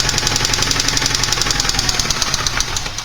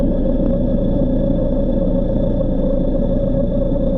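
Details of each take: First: Porsche 944 engine, connecting rod knock example: fast sharp tapping over running noise, keeping time with revs, from worn rod bearings; can range from light tapping to deep thunking with severity and grows louder as engine warms and oil thins. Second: Porsche 944 engine, stethoscope along the oil pan base: even steady low rumble, no knock or variance across the four cylinders; normal bottom end, though some driveline bearing noise (pilot or torque tube bearing) noted.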